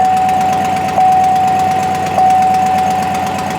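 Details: 2007 GMC Yukon 5.3 V8 first start after oil priming, about 45 psi oil pressure, an exhaust leak noted: smooth, even idle with a steady drone, no knock or tick; normal idle.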